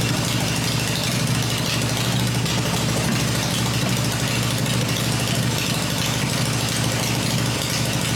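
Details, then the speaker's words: Freshly built Harley Evo V-twin on test stand, points ignition, exhaust pipes covered to hear the engine: smooth even lope at idle, steady beat, no knocks or ticks; normal idle. "this motor sounds really good I'm really pleased today we're going to try cycle it for another minute"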